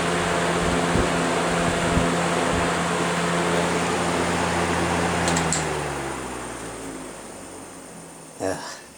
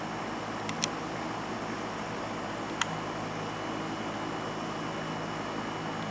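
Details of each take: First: Vintage electric fan coasting down: steady motor hum with a faint, even rub about three a second. This motor lacks plastic bushings, having only fiber and metal washers and a C-clip, which is likely causing the rubbing noise. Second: Vintage electric fan from a collection starting and running, fridge hum audible in the background: only a faint, steady airy hum with no rattle, ticking or bearing noise. The fan runs quietly and perfectly.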